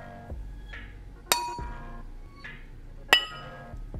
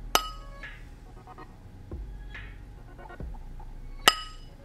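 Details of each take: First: Ring test on a new grinding wheel before mounting, tapped gently with a sturdy tool in a quiet room: two taps each give a clear, lasting metallic ring, so the wheel is intact (a dull, muffled ring would mean a crack). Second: Ring test on a new grinding wheel resting on a finger, tapped with a sturdy tool: a dull, muffled ring that dies quickly, meaning the wheel is most likely cracked and should not be used.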